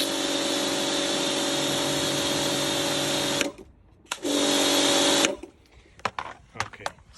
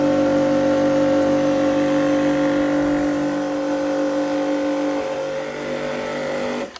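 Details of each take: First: Karcher K4 Compact pressure washer (1.637-311) after replacing the cracked control head/manifold, with lance connected: steady motor-pump drone cutting out and restarting cleanly with the trigger, no surging or knocking; apparently no longer leaking, running normally. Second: Karcher K4 Compact pressure washer (1.637-311) before repair: steady pump whine with hissing spray over motor hum, water leaking from a cracked control head/manifold, possibly from freezing or a kick.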